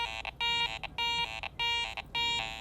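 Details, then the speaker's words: Garrett ACE 400 metal detector with iron audio on: repeating high tone bursts with lower rough iron grunts either side as coil sweeps off-centre; target has iron mixed in, not a pure coin. "There's some flanking iron sounds. If I'm dead centered on it, still sounds okay, but as I'm coming and going, I can hear that iron grunt on either side of the target."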